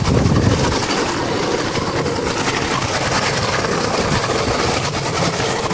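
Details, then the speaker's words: 2000 Johnson/Evinrude 150HP outboard at full throttle holds a steady, even roar and won't pass 2000 rpm, despite a new power pack, optical sensor, plugs and wires; compression is about 96 and 100, cause unknown. "The max on the throttle, it won't go any further, and right there, the RPM, and here's what the engine sounds like."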